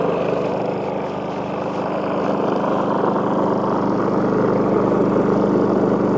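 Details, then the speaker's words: WEN 4800 W dual-fuel generator (DF480iX), running at about 3,050–3,070 rpm: steady drone with a buzzy resonance that shifts as the unit is lifted to load the wheels; wheels and rubber feet vibrating, causing the noise. "If you remember the rubber feet that are underneath this thing, so I want you to listen to the noise as it changes. And all I'm doing is just kind of lifting this up a little bit That way there's a little bit of pressure on the wheels."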